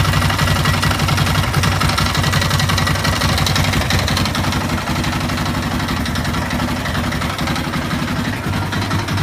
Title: Стук двигателя 2 Yamaha Raptor YFM 660R